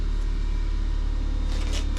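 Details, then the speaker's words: Air compressor kicking on in a garage during a small block Chevy 350 Vortec engine build: a deep, steady low hum with an even pumping throb and no knocking or rattling; normal air compressor running. "Yep, there goes the air compressor."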